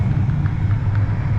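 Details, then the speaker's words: 2005 Toyota Tacoma cabin blower after replacing the failed blower motor: steady low whooshing hum of air, no rattles or squeals; blower running normally. "oh yeah I can hear it blowing already oh yeah oh yeah that's awesome yep you hear it working"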